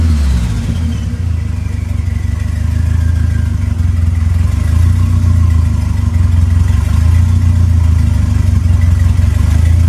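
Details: Smokey's Lima with a swapped 2.3L turbo four on PIMPX batch-fire engine management, freshly started and warming up for a base timing check: deep steady note swelling gently with light throttle, no knock or rattle; normal running.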